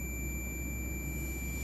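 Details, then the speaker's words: MX HP Pro 20000 amplifier (4000 W per channel) in protection mode: one steady unbroken continuity beep across output transistor legs, shorted from every pin; output transistor dead short. "कहीं से भी check कीजिए एकदम shorting है।"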